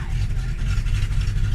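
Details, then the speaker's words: Fox-body Mustang cold start in cold weather, first start of the day: engine stumbles at idle with an uneven, lumpy low rumble and irregular shakes; rough cold idle until held near 1000 rpm, cause unconfirmed. "so when i start it all right as you can see here it's idling very bad"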